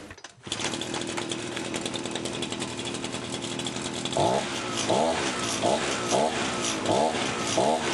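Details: Efco Stark 38 two-stroke brushcutter that stalled on throttle, after fixing an air leak in the fuel line from tank to carburetor: steady even buzz, takes quick throttle blips cleanly; running right.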